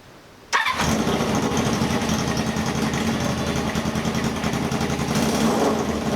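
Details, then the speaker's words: 1978 cafe scrambler motorcycle after a rewire: settles into an uneven idle with a light, irregular top-end tapping that sounds higher when revved and comes and goes rather than ticking constantly; cause unknown. "doesn't sound like it sounds when you ripped it it sounded higher sounded like let's turn up here like it was tapping I'm up here not there all right but why does it go away I don't know"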